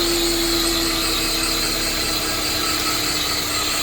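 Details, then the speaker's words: 2013 Chevrolet Malibu 2.5 at idle, hood open, coolant looking empty: steady high whirring hiss with a faint fixed mid tone from the belt side; mechanic suspects the water pump, plans to remove the belt and spin pulleys. "so I can hear the noise but I can't pinpoint exactly where it's coming from and just like I said I'll take off the belt from all the pulley and then we'll spin them manually but I supect like the water pump is the one making which is right here"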